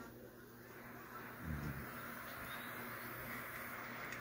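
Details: Desktop PC whose fans had cycled on and off with no display, after reseating and cleaning the RAM stick to fix poor memory contact: soft, even fan hum holding steady; screen now comes up, running normally.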